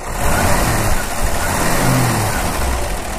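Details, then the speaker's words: 1960 Ford Ranchero engine, starts easily after two pumps of gas, revved from the side: low, even note swelling with throttle and settling back, no smoke, misses or knocks, smooth like a sewing machine; normal engine revving. "know it doesn't blow smoke or anything it's just a nice sounding a little motor go ahead and rev it up over here on this side you know very smooth sounds like a little sewing machine"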